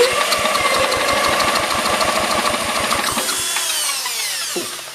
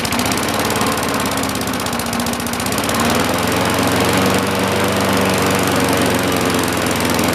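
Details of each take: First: 1960-70s John Deere push mower saved from scrap, cranked with an impact-driver starter tool, spark and compression confirmed but plug unverified: rapid even chuffing about three strokes a second under the driver's whine, fading without firing; cranks but won't start. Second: 1960-70s John Deere push mower saved from scrap, single-cylinder engine just started before an oil change: fast, steady putter with no stumbling or hunting; runs smoothly and evenly.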